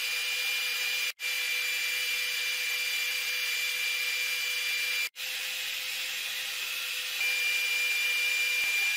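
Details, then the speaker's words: Flying Bear LaserMan laser engraver while engraving: steady airy fan hiss with faint high whine, the normal cooling fan keeping electronics in the main cabinet from overheating; air filter running, no smoke. "기계가 작동하는 동안 약간의 팬 소음이 들릴 수도 있습니다. 이 소리는 메인 캐비닛 내부의 전자 회로가 뜨거워지는 것을 방지하는 역할을 합니다."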